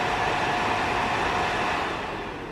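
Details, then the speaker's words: Suzuki DR-Z4S radiator cooling fan bench-run at 12.9 V, about 2 A (3 A peak), after radiator repair: steady airy whoosh with no ticking or rubbing; relatively quiet, healthy. "It's actually relatively quiet for a cooling fan. It's much quieter than the fan on my KTM."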